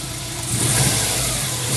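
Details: 1999 Subaru WRX GF8, EJ205 turbo flat-four, near operating temperature after a coolant flush, header tank open: warm idle rising smoothly on throttle blips, revs climbing cleanly with no misses or rattles, done to purge air bubbles; normal throttle response.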